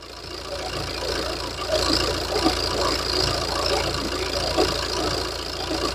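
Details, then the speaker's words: Warmed-up Opel Insignia at idle, before an oil change back to Valvoline Dexos 2 oil from Motul: busy, diesel-like ticking clatter, about two ticks a second in the louder hits, suggesting noisy valvetrain; cause unconfirmed. "And the engine is warmed up. Now you can hear how it sounds. Like a diesel."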